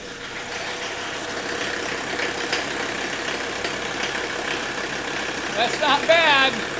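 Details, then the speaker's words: Mercedes 300D with the 617 diesel engine during its dual-tank vegetable-oil conversion, running on diesel fuel right after priming with the hand pump: a steady, fairly quick injector clatter over an even idle with no knock or misfire. A normal diesel idle. "That's your typical sound of a 617 engine running on diesel fuel. You can hear the clatter of the injector nailing at Yes."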